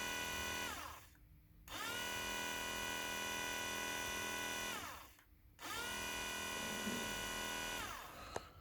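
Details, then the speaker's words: Ford Transit MK6 Durashift ASM gearbox HPU pump, 66k, removed and bench-run off a battery after gearbox light flashing and gears struggling to engage: steady high whine in three even runs, no grinding; pump motor sounds healthy. "that sounds fine or rough to me that sounds perfect"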